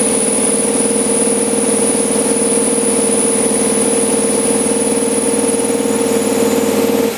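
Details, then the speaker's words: LS7-swapped S10 with new idle air log, dead cold start at about 50°F: fast idle around 500 rpm with IAC fully open and a steady high whistle until shutoff; owner suspects cold throttle blades too tight, idles normally once warm. "I just think that until they've had some heat and the intake that the throttle blades are just too tight so if I warm it up just for a little bit then it starts idling normal so I'm good our dove dead cold show you whistling noises the iock open all the way"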